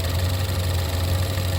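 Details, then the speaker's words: Wife's Lincoln MKC 2.0L EcoBoost turbo, oil slightly low, idling with the oil filler cap off. Steady low hum with a faint even patter, no clear knock. Positive crankcase pressure pushes oil out the filler, unlike a Silverado that sucked air in. Owner suspects blow-by. "I think positive crank case pressure is pulling it out pushing it out and negative crank case pressure sucking it in and the Silverado it sucked it down on this one it's actually pushing it out"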